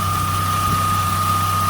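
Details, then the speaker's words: Chevy Tracker idling after replacing the idler pulley bearing: steady, even idle, the belt squeak gone, with only a faint thin squeak the owner suspects comes from the A/C compressor; normal idle. "But right now, she's not squeaking."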